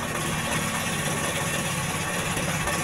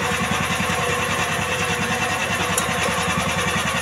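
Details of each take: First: Jarwo Crown rice transplanter small petrol engine, hard to start: dull, uneven limping idle with heavy black exhaust smoke and no high revs, caused by too much fuel from the carburetor. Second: Jarwo Crown rice transplanter small single-cylinder engine, previously hard to start, after carburettor fuel-screw adjustment; chugging at a steady, even beat with no misses or surging, carburettor now seems properly set.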